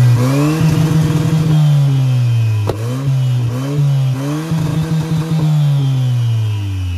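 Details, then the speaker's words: Honda Civic turbo at full throttle: smooth rising drone with no turbo spool or boost whistle, gauge reads zero boost, intake coupler collapses in and out; no boost, cause unclear. "this thing's slow zero boost zero boost zero"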